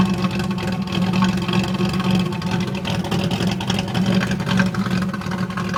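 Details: 1991 Pontiac Firebird V6 still setting codes 33 and 43: low, lumpy idle drone with an uneven beat that never smooths out; rough idle, cause not yet found.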